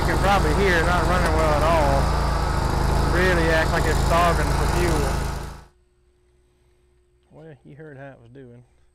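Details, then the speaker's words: Kubota Z122R mower, long-standing fuel problems: runs only with choke up; with choke pushed down it surges, sags and dies; owner suspects fuel starvation from a weak fuel pump; rough running. "is with the choke pulled up as soon as i push it down at all every time it dies because i'm pushing the choke down"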